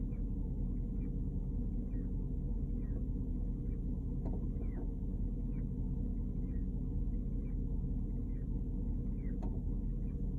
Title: 2010 Porsche Cayenne GTS strange chirping noise